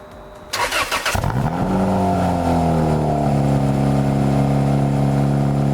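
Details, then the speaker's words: Toyota MR2 Spyder 2ZZ-GTE turbo after new oil, coil packs and spark plugs, loud exhaust: catches on about the second crank, settles into smooth steady idle with even firing and no misses; healthy, letting it warm up. "it cranked over literally I think on that second crank around which is really good so we're gonna let it warm up"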